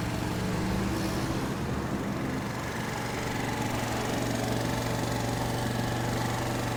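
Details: Peugeot Looxor 125 4T scooter, Piaggio Leader 125 engine reportedly over 100,000 with maintenance, fresh battery, automatic choke, winter; steady even single-cylinder idle putter, no misses or rattles, normal.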